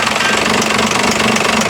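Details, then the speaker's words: First-generation diesel truck idling in gear at roughly 400 rpm, AC compressor loading it: slow uneven clatter, lugging near stall; too low to run the AC, fixed by quarter turn adjustment; low idle under load. "Oh, wow. So that's probably 400. And that's with the AC compressor off, so like you can't really run the AC."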